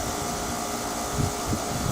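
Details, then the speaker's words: 2006 Rheem Classic 4-ton 13 SEER condenser, Copeland scroll, R-22, model RAND-048JEZ, heard from about 10 feet away: steady even fan-and-compressor hum with a few soft low thumps; very quiet, normal running. "I'm standing 10 feet away and this is how it sounds it's so quiet man"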